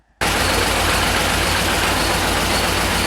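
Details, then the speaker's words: Car engine right after a morning start runs loud and rough with an uneven low thumping. EPC and engine warning lights were on; the misfire comes from a cut spark plug wire, repaired with insulation tape. "காலையில காரை start பண்ண உடனே இன்ஜின்ல இருந்து டம்பு டம்பு டம்முன்னு ஒரு சத்தம்."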